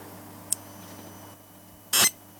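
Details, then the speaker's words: Circuit-bent clock with modified power feed: quiet hum, then a short high chirp and a harsh buzzing beep about a fifth of a second, like an old Atari 2600-style video game sound, on connecting power. "sounds like an old videogame doesn't hurt okay sorry 2600 or something"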